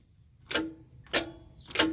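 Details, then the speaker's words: RV starter: three sharp single clicks about two-thirds of a second apart with no cranking; the starter engages but cannot turn, suspected stuck, possibly from carbon buildup. "how it's just clicking so you can hear that it's trying to turn the starter but it can't because it's probably stuck"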